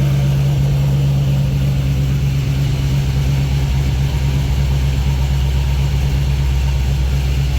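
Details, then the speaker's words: Car running after a new gel battery was installed: smooth, steady low rumble with no misses, knocks or hunting, "purring like a kitten"; owner hopes the battery fixed it; normal idle. "see how she does but she purring like a kitten I hope that fixed it"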